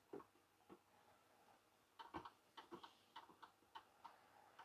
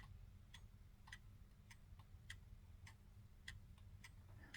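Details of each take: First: 1930s Garrard English mantel clock after service and re-oil, pendulum refitted: steady, even, relaxed tick-tock with evenly spaced beats in a quiet room; complete, running in beat and healthy. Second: 1930s Garrard English mantel clock before oiling, pendulum swung by hand, microphone close to the movement: sharp light ticks about every half second, faint low hum; escape wheel turning past the pallet, beat adjustment still being fine-tuned.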